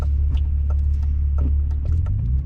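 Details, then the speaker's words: BMW E36 M3 with a lightweight flywheel replacing the stock dual-mass unit: deep idle throb with faint, uneven light clicks of flywheel chatter, more noticeable when hot. "that's viable chatter oh what happened libel chatter hear that it's like really minimal when it's hot like really when it's really hot outside it's more noticeable if you're outside the car you'll hear it too"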